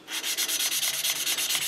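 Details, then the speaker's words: Briggs & Stratton 15.5HP Intek OHV engine from a Husqvarna YTH150 ride-on mower, intake valve lapping with fine finishing compound: fast, light, thin high-pitched rasping that has become very faint, so the seat is nearly mated; exhaust valve expected to be harder. "j'ai plusieurs tours quand même temps ce bruit est vraiment ténue"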